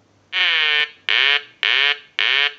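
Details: Telemania duck telephone, repaired and converted with installed quack sound, piezo buzzer switched off, ring cycle sent from line analyzer, eyes lighting: four even bright nasal quacks about half a second apart; ringer works properly.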